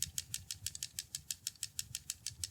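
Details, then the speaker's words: Finalmouse Starlight Pro TenZ shaken by hand: light, sharp plastic ticks in time with shaking, a small internal rattle; minor, not bothersome. "and it's also there on the medium but on the smaller one it's coming from the scroll wheel but in this one it doesn't seem to come from the scroll as I'm holding the scroll wheel down and shaking it nothing major though the rattle does not really bother me"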